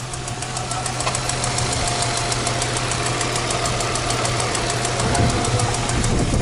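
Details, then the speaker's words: Infiniti G35 with about 220,000 miles idling; a sharp, even top-end tick about three times a second rides over a steady idle rumble; the owner says the tick quiets down once warm and that it is a common problem online; cause unknown. "Okay, so as you guys can hear, it has a ticking problem. So like it quiets down like once it's like warm."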